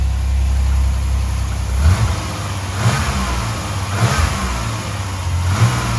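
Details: 1989 Chevrolet Celebrity base model, 205,000 miles: idle rises and drops about once a second, goes too low, surges, almost dies then recovers; surging idle from intake vacuum leaks, IAC valve to be swapped.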